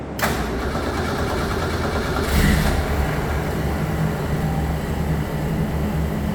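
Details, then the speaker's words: 1962 Ford Falcon 200ci six with a T5 swap and Holley Sniper, first start after 8 months of work; brief crank, catches at once, then a steady, even idle with no misses or knocks. A rich 9.8 reading was seen afterwards. "So, it's been 8 months and it started up pretty good. Um, did not think it was going to take this long, but sounds good."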